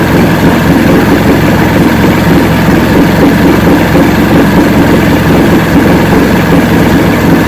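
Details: 1970 Evinrude 85 hp outboard, hydroelectric shift, new water pump impeller, run in water container, in neutral: steady even low rumble, smooth idle beat, no misses, knocks or surging; normal idle, carburetors judged good at idle, full throttle untested.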